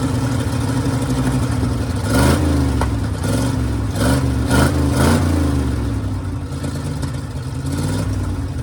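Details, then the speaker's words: Custom cabover V8 with a carburetor fed from a custom fuel cell and only one muffler fitted: a deep, steady rumble with a few throttle blips that rise and settle cleanly back to an even idle; the engine runs fine. "I forgot it's only got one muffler on it. And it sounds good."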